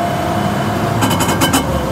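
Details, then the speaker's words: Car on the road with worn rear differential gears: steady mid-pitched whine under road and cabin noise on throttle lift-off, very loud on overrun; before adding sawdust to the differential. "как это всё гудит Вы слышали Это прям очень страшно гудит он очень сильно"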